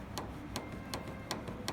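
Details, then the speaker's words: Mercedes GL/ML W166 front shock absorber being worked at minus 33 °C, frost-covered and before warming: sharp, regular knocks about every third of a second; the knock in the cold is traced to the shock itself. "Наконец-то я победил эту проблему. На морозе стойка стучит."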